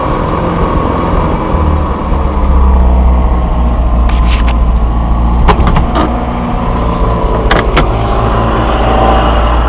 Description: My 1987 Starion having a bit of a rough idle.